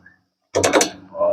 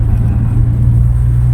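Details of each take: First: Toyota Innova rear brake caliper rocked by hand: short burst of sharp metallic clacks, rattling over bumps because upper and lower caliper slide pin bolts were fitted incorrectly; noise persisted six months despite ball joint, rack end, bushing replacements. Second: Toyota Innova driving after repairs for a suspension noise (ball joint, rack end, arm bushing, rear stabilizer rubber replaced; rear brake pads refitted); steady low road rumble, no knocks or clunks, suspension and brakes quiet and healthy.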